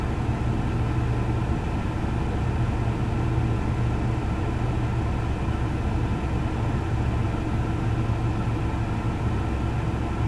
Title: Chevy Colorado rough idle